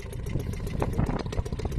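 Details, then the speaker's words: Restored old Seagull 40 Plus two-stroke outboard, run in the sea off a beach: quick, even putter at tick-over with light clatter over water; idles steadily, quiet and healthy. "Sounds lovely. It's quiet as well. See if she'll tick over, and she's ticking over nicely."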